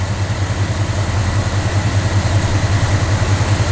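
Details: Small-block Chevy truck just after replacing the mechanical fuel pump and fuel filter, with no leaks found: steady, even low idle rumble with a regular pulse and no knocks or misses. The engine is idling smoothly and healthy.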